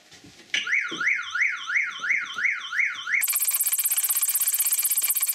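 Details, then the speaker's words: Opel Corsa D during engine mount replacement: rising and falling electronic wail then fast high-pitched pulsing beep; car alarm sounding and cannot be switched off. "что-то никак не могу отключить эту сигнализацию не пойму первый раз такое вообще"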